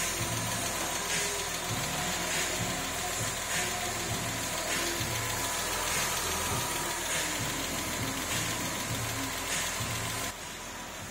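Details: Porsche 996 3.4 L, automatic gearbox, first start after engine reinstalled following major work, being run up to temperature: steady, even flat-six idle, smooth regular beat, no knocks or misses; no engine light, oil pressure present, oil stains may smoke. Normal idle.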